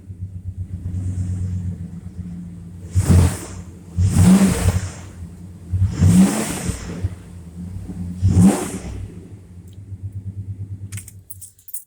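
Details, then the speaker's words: Dodge 318 V8 truck: steady low idle with a few quick throttle blips that pick up cleanly and settle back; fires right up and sounds healthy, though a little cold-natured and may hesitate until warm. "you see guys she fires right up runs good and it's a little bit 318 dodge 318"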